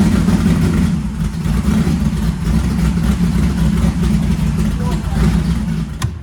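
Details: First fire-up of freshly installed 335hp supercharged Ardun flathead in 1932 Ford Roadster, started on magneto after cranking to oil pressure: deep steady rumble at fast idle, even firing, fading out; runs fine, though an AN oil fitting at the gauge line leaks.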